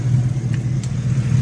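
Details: 2011 Ford Raptor, hot, after replacing a JB-Welded leaking radiator hose and bleeding the cooling system (overheating had been blamed on a head gasket), no more coolant leaks: steady, even low rumble, no ticks, knocks or misses; smooth, healthy warm idle.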